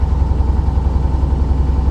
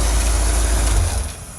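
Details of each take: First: Corvette just started on the second try in the 40s °F, usually needing three attempts: low idle thump with an occasional uneven, soft beat breaking the rhythm; a little misfire at idle. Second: Corvette idling in freezing cold on non-ethanol 91 octane fuel, now starting readily: low, even rumble with no misses, knocks or stumbles; running really good, purring.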